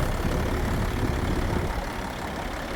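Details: Diesel after cleaning corroded battery cables and terminals for a one-click no-start and adding a remote thumb start switch: deep, even idle with a steady low rumble and no misses, knocks or stumbles; runs healthy.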